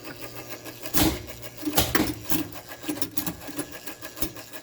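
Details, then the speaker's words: Playmatic Harem pinball machine after credit button press, which previously caused smoking; irregular bursts of relay clicking and chattering over low mains hum, nothing settles; owner suspects a broken score motor. "okay so that time i think one of these relays kicked on so i feel like i sort of made progress"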